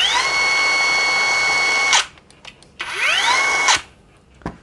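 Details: Nagawa BCS 180 cordless high-pressure jet cleaner on an LXT-type battery: steady high whine holding one pitch, clean spin-down and quick rising spin-up; smooth motor free-running with no rattle.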